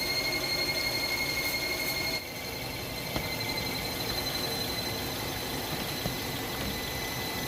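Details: Hyundai Tucson engine at idle: a steady high-pitched accessory belt squeal that cuts out partway through; the owner suspects a pulley on the passenger side.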